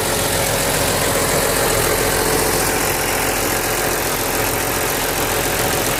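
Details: BMW Z3M/M3 S50B32 idling: fast loose rattle at low rpm after gentle revving, the classic VANOS noise, caused by failed seals, blocked filters, worn bearings and cam gears.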